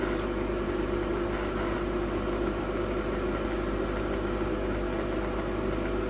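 An even, unbroken mains-frequency buzz at constant level: the transformer core is humming as normal for a buzz-box welder.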